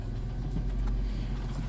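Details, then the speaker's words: 1993 Plymouth Grand Voyager SE, revived after 18 years abandoned, after the transmission work, fixing a vacuum leak: an even, steady low idle with no hissing or sucking air noise. Normal idle, vacuum leak fixed. "Yeah, so, but we don't hear that vacuum anymore. Like normal. So, good. Fix that issue."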